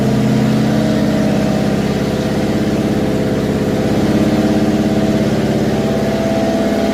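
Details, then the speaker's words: Twin-supercharged Ford Grand Marquis V8, homemade dual blowers, after an FMU adjustment from about 9–10 air-fuel: loud, lumpy idle with a steady throb and slight unevenness, still running pretty rich. "I'd say still pretty rich"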